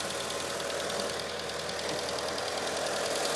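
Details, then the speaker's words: 1996 Mitsubishi Eclipse GST, bone-stock 4G63 turbo four, no exhaust mods, idling: light quick steady top-end tick that grows louder then fades, comes and goes, usually goes away once warm; owner suspects lifter tick, unconfirmed. "I'm assuming it's a lifter tick but I mean I'm looking for comments to see what anybody else thans uh like I said it comes and goes usually when the car warms up it goes"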